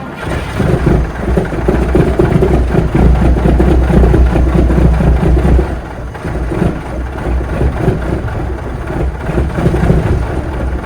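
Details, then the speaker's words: Peterbilt 359 with an old Cat diesel, cold start after sitting outside about 3 weeks: fires and runs lumpy and uneven, then gradually steadies and clears up. Good oil pressure; cause of the rough start is not pinned down. "All right, she's clearing up now a little. Didn't like that very much."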